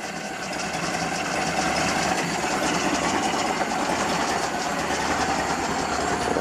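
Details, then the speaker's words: Ford Model A four-cylinder after Zenith carburetor throttle shaft and plate adjustment, heard at tailpipe: slow, loose chuffing at very low idle, steady without stumbling; normal low idle. "okay this is what a Model A engine sounds like at very low RPM"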